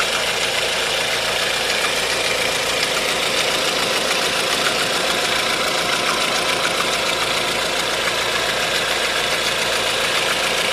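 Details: 1.4 16V engine at idle with a light, fairly regular ticking knock about 3–4 per second; timing chain tensioner checked and a belt removed, noise unchanged. Source undetermined.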